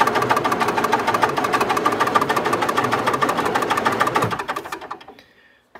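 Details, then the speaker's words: 1962 Austin Healey 3000 BT7, engine, head and carburetors rebuilt after mouse damage, new fuel pump and ignition switch, choke out, cranks steadily about three beats a second without firing in a cold garage; owner suspects carburetors far out of adjustment. "i'm not getting anything at all the carburetors might be so far off and it's pretty cold in here today"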